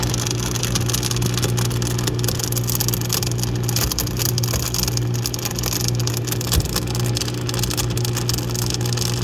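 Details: Dishwasher running: steady low motor hum under a rough, gritty, unrelenting rush; grinding noise, owner suspects something stuck in the motor, not confirmed.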